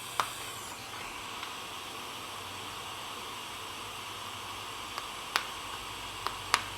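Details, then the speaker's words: Lightning-damaged NuTone IMA3303 intercom radio: constant hiss of static with occasional clicks, a very faint station with someone speaking behind it, receiver not pulling in signal; cause suspected, unconfirmed. "and there is you won't be able to hear this but there is behind the static that you're hearing there is very faintly a radio station because i can hear someone speaking"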